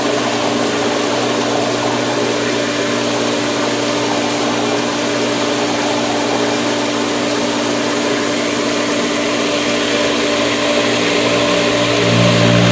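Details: Pool pump after priming through the solar heater, camera near the pipe, Polaris robot starting up: continuous steady hum, constant low tone, even rushing water, no surging or rattling; primed and running normally.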